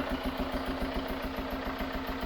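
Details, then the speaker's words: Chevrolet Tracker diesel at idle, not revved. A steady rhythmic chuff like gas puffing out on every firing beat; diagnosis is a burnt head gasket, likely joining two cylinders and blowing a lot. "a gente já tem mais ou menos o diagnóstico feito tá pessoal junta de cabeçote queimado deve ter unido os dois os dois cilindros né é porque tá soprando bastante"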